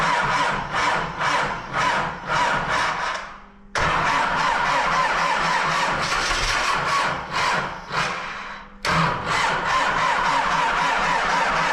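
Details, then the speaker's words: MTZ-80 tractor, D-240 diesel, just after valve clearance adjustment, very cold weather, starting on two weak batteries with air cut: repeated slow cranking bursts about two turns a second without catching; hard cold start, later started with ground fully connected. "Перекриваємо здик все равно. Акумулятори слабі. Зкозарядны, потому що акумулятори слабі."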